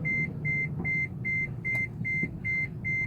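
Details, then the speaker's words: Taxi car beeping a steady high warning chime about 2.5 times a second over road hum while driving; the brakes are failing and need much more pedal pressure to stop. The car is headed to the shop. "the brakes are failing. I'm still able to stop. It just requires a lot more pressure on the pedal."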